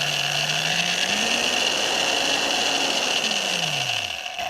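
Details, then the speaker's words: Double-insulated, gutsy low-RPM corded drill with non-polarized plug: motor whine climbs and falls smoothly with the trigger, no rattle or grinding; variable speed works well before switching direction; normal variable speed operation. "So the variable speed works good. Let me change directions."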